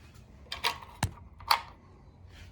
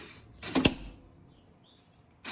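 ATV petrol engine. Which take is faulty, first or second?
second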